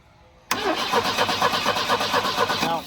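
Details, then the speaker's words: Abandoned Volvo 745 Turbo: starter cranks the engine at a steady even rhythm, about two beats a second, but it never fires, even with the fuel pump jumped and a known good coil fitted. "why won't it run huh why won't it run fuel pump even jumping the fuel pump still doesn't run"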